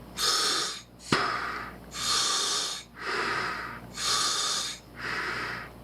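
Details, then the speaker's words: Sherwood scuba second-stage regulator after adjusting the lever until the free-flow leak just stopped: clean, even inhale hiss about once a second stopping sharply between breaths, no free-flow; breathing normally. "it should breathe like she's supposed to."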